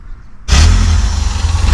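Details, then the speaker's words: NA Mazda Miata MX-5 with crank-no-start, after replacing the crank angle sensor, sat about a month: half a second of quiet, then the engine catches at once and runs smooth and steady; normal start, diagnosis confirmed. "So after putting the crank angle sensor in, this is a moment of truth, if it will start or not. Yeah! Diagnosis was right."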